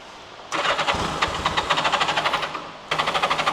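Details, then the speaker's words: Turbo Yamaha unrun for about 40 years, during revival: two bursts of steady starter cranking with even compression pulses, about six a second, never catching; fuel pump line pumping but no fuel reaching output, valves suspected; cranks but won't start. "So, I'm going to crank it. Watch that line. Okay, now now it's cranking."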